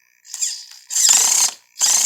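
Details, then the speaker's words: Helion Conquest 10MT RC truck steering servo: sharp ratcheting clicks in short bursts when turning left under resistance, not when turning right; owner suspects a stripped servo gear. "you hear that doesn't do it the other way but it does it to the left whenever I turn left with it so I'm thinking maybe one of the gears maybe stripped in"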